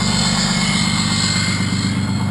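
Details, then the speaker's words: 6.2L Cummins diesel with exhaust brake engaged, heard from inside the cab: deep steady drone with even roar, jet-like; exhaust brake working normally with strong braking, though its switch is intermittent. "like a jet engine I'd say from in the cab big difference and it's got extremely awesome braking"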